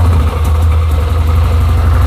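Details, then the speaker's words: 2007 Yamaha Rhino 660, single-cylinder, after repair of rough cold idle and high warm idle: fires right up and idles with low steady thump, no stumbling or surging; choke pulled and returned goes back to normal. "Oh, fires right up like that. That's pretty awesome."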